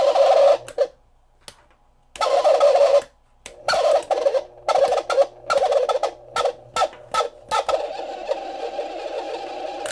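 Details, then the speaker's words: Honeywell (Kaz USA) HT906V1 fan under power: irregular squawky mid-pitched squealing as the fan turns very slowly; dry motor bushings needing oil, as these are bushing motors, not bearing motors. "So we need to get the fan motor out of this thing, get it apart so that we can add oil to the bushings. These are not bearing motors, they are bushing motors."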